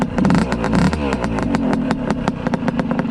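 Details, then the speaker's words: Old PE 175 two-stroke dirt bike, running after the exhaust silencer's center section was re-wrapped: sharp, raspy crackle with fast, even exhaust pulses and ringing overtones. Loud but running cleanly; only slightly quieter after the repack, and loudness is expected. "it helped very very slightly it's still really loud but it's expected right but uh it did help it did help a little bit"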